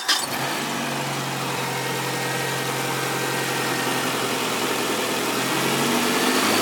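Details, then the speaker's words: 1994 Nissan Altima petrol engine started on a chilly day after the engine noise was repaired: it catches quickly and idles steadily, with a faint timing chain rattle that has always been there. "all right and everything seems good you hear there was a little bit of a timing chain noise but that's always been there"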